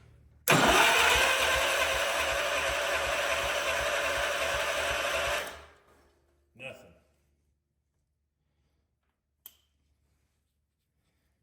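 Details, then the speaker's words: 47-year-old Wheel Horse tractor, older Kohler with point-style ignition, cranking on the starter with an inline spark tester fitted: steady churning for about five seconds with no firing; cranks but no spark. "nope all right let's see if we can figure out where we're losing spark at"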